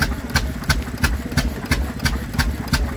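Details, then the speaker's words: Stationary engine driving a 3-inch centrifugal pump: crisp even firing near three beats a second over a low steady pump thump; runs sweetly, normal running. "That's what you call an engine. That sounds absolutely fantastic."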